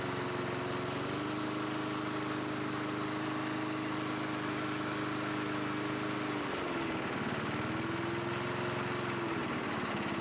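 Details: 1982 John Deere 21 SP self-propelled mower, single-cylinder engine after refurbishment with new old stock points and condenser gapped to .020 to restore higher rpm: steady, even hum with one brief dip and recovery; runs smoothly and holds speed.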